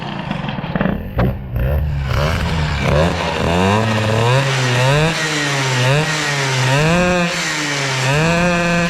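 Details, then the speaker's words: Peugeot 103 hybrid air-cooled moped with Airsal 65 kit, rich mixture: two-stroke revs up and down in rising wails, staying high and buzzy; variator rollers too light (two medium, two heavy), variator not opening, heavier weights needed. "je veux dire que le vario il est un petit peu léger là ça ouvre même pas"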